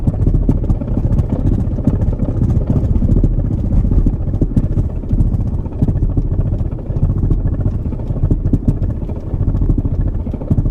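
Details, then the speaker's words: 1991 Mercedes 500SL (R129) driving about 15 mph: low uneven thumping and slapping underneath; owner believes driveshaft center support and/or bearing failed. "I believe the drive shaft support or bearing or both have gone bad"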